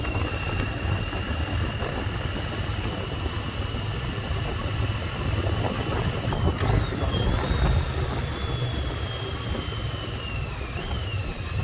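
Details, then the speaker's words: 1996 Yamaha Virago XV750 V-twin, sat untouched about 10 years in a garage, now cleaned up, test ride under way: steady even low thrum, no misses, pops or knocks; running cleanly. "This was actually super easy to get cleaned up and running great."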